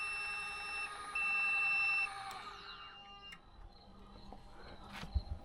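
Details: Tec Vans elevator bed in camper van, test run after levelling via the top straps: steady high-pitched warning beeping over a faint motor whir as the bed travels; smooth, no grinding or strain.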